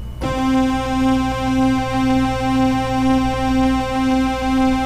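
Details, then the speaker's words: Oberheim OB-8 analog synthesizer: a held note broken by a soft click about twice a second in step with the oscillator 2 vibrato LFO set to square, changing with rate though it should be silent; fixed by replacing voice board capacitors. "you can hear that clicking and if we change the rate we'll hear the clicking change with it"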